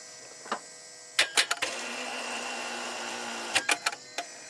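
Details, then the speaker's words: 2004 Chrysler Crossfire no-crank: the solenoid clicks, then a strained two-second hum with no cranking. The starter draws about 80 A while battery voltage holds; a bad engine block ground is suspected. Starter energised but engine not cranking. "you can hear the starter trying to click but it's not engaging"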